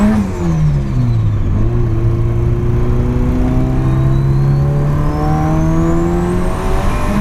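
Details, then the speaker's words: Nissan SR20DET with 272 Brian Crower cams and Nismo motor mounts, after fixing a misfire (one cylinder not firing): clean four-cylinder rising and falling smoothly with lumpy cam note, no stumble; normal revving. "Ah yeah, so there she is, purring like a kitten. Those 272 Brian Crowers still have the engine moving around a little bit, but that's as good as it's gonna get."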